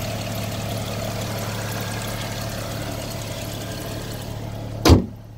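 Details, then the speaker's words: 2008 BMW 335xi pre-purchase inspection at idle: steady low hum with a faint extra whirr of pulley noise at the front plus some engine noise, then a sharp thud near the end; cause unclear. "You can hear a bit of pulley noises in the front and a bit of engine noise that you can hear as well."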